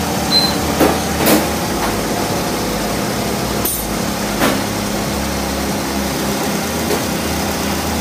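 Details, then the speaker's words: 2008 Chevy HHR with a 2.4 Ecotec block and 2.2 cylinder head replacing a blown 2.2 engine; after reconnecting the power brake vacuum line that caused a whistle (first suspected intake gasket), idles smoothly and evenly with no whistle or hiss; healthy idle. "Looks like it's running pretty smooth. Rev it a little bit. Let it idle. I haven't pressed the gas one time. Okay. Sounds good."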